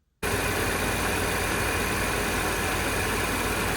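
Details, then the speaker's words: Supercharged B8 Audi S4 that fired up only after a stronger battery feed: engine catches and settles into a steady, even idle with no knocks or rattles; sounds healthy (revving was limited). "car fired right up no uh no terrible sounds the engine sounded great as you can see here"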